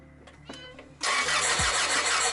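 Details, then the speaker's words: Honda Accord cranks with steady even whirr but never fires; spark tester shows no spark at all, rotor looks fine with no oil; the distributor or distributor cap is suspected to be bad. "Okay. Alright. So you're not getting spark at all. Alright, try it one more time. I get no power."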